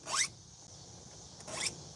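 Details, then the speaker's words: Chainsaw chain being hand-filed; two loud rasping file strokes about 1.5 seconds apart, scraping and catching on the teeth; chain is dull and needs sharpening. "When this is dull, it makes it makes a noise like you're trying to sharpen."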